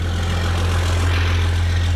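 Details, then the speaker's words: 1996 Dodge Ram 3500 12-valve Cummins diesel just after a hard-starting fix, batteries a little low, white smoke at startup: it settles into a steady, even low rumble with no misses, knocks or hunting, a normal idle. "okay now it seems to be idling pretty nice"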